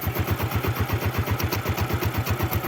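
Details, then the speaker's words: 2005 Smash motorcycle, kick-started because of a weak battery: steady single-cylinder idle with even, regular firing pulses and no knocks or rattles; engine smooth. Normal idle. "Lihat suara mesin ya. Mesin juga masih halus ya."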